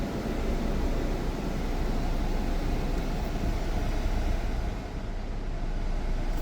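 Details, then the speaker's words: Jeep Cherokee air conditioning after recharge to the exact 567 g of refrigerant (had only about 200 g), earlier noisy when switched on: steady, smooth low rumble with no rattle or knock; normal AC operation, noise gone. "al encenderlo hací un ruido ahorita ya no se le ha escuchado a ver creo que lo prendemos yo creo que va a ser eso porque ahorita ya no se ha escuchado nada"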